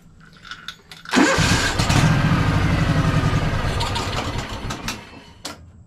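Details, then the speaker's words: Free Craftsman DLT3000 lawn tractor with stale, water-contaminated fuel: small engine cranks with steady labored churn for several seconds without firing just after draining the carburetor bowl, which must refill; cranking no-start. "so let me see now that I've got that emptied out try to Crank It Up see what happens"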